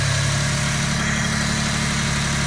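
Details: Toyota Tacoma 3.4 at idle: even idle with low rumble and faint hiss on top; possible engine knock suspected, but no clear rhythmic knock stands out.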